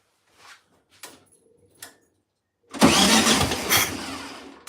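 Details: 1972 VW Beetle, first start attempt after over two years sitting: a few faint clicks, then a sudden loud burst as it seems to catch, fading out over two seconds. It fires briefly and dies; the starter only engages once. Cause not confirmed.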